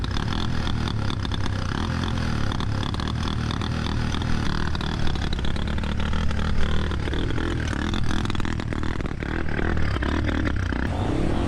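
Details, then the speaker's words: 650cc single-cylinder kickstart motorcycle riding through a rain-soaked riverbed, revs held up with clutch slipping: loud, ragged revving with uneven clattering pops that never smooth out; engine misfiring badly. "hear it misfiring really badly it makes it that much more challenging to ride over these obstacles because you have to keep the revs up and it doesn't want to run and you have to slip the clutch"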